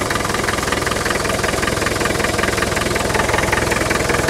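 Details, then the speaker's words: Land Rover 110 County station wagon, 2.5 turbo diesel, about 166,000 miles at sale, breather off: steady even diesel idle clatter about 158 beats a minute, no misses; puffing from breather but starts nicely, compression good, normal idle. "yeah it is puffing badly but you know that's what 2.5 TD does they now for it but the fact that it starts nicely means that the um uh the compressions are good in it and stuff like"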